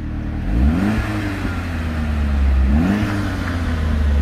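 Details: 200,000-mile Saab 9-5 Aero after the cracked center muffler was cut out and straight-piped: deep, clean exhaust rasp rising and falling with two throttle blips, no leak ticking or puffing; exhaust sounds healthy.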